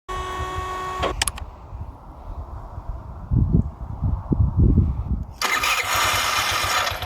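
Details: Carbureted engine (piston kit, valve, ignition module, coil, plug already replaced; carb rebuilt) idles then chokes and stalls when throttle opens; sputters, restarts, revs only with sharp blip; black sooty plug indicates rich mixture.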